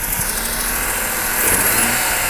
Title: RX8 110000km 2004 - Broken Sideseal - Very rough idle, power loss, pulsating air suction sound